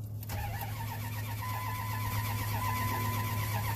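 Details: 1998 Dodge Ram 1500, crank-no-start after dying suddenly, crank sensor already replaced: starter spins steadily about two beats a second but never fires; scan shows no crank signal counts, check engine light stays on, SCI bus issue suspected.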